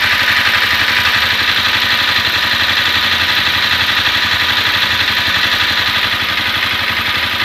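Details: Honda CBR250R at warm idle right after a 15 km ride: fast metallic ticking, about four per second, over a steady idle, like top-end valve or cam chain noise. Owner suspects valve shims or the cam chain tensioner; unconfirmed.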